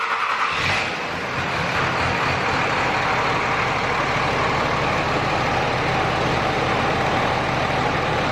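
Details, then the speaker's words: 2005 Dodge Ram 3rd-gen Cummins diesel after injector replacement, cranking briefly to rebuild fuel pressure before AirDog install: catches and settles into a steady, even run; previous injector hang and misfire gone; normal start and idle. "Alright guys, as you can tell, truck definitely does run pretty good, a lot better than it was."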